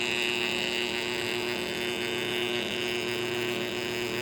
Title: bad bearings in this motor